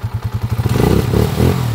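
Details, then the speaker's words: Honda TMX155 after a timing gear replacement, block rebore and new valve seal, revved to check that the former cat-like whine from the noisy timing gear is gone. Quick even pulses build into a smooth rev with no high whine; the timing gears now sound quiet. "Yan na yung andar niya ngayon mga kabro. Revolusyonan na natin kung nawala yung pusa-pusa."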